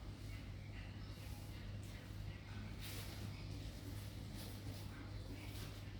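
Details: Chevrolet Captiva diesel engine just overhauled and reinstalled, first runs: a quiet, steady, low rumble with an even beat and no knocks or rattles. Normal idle.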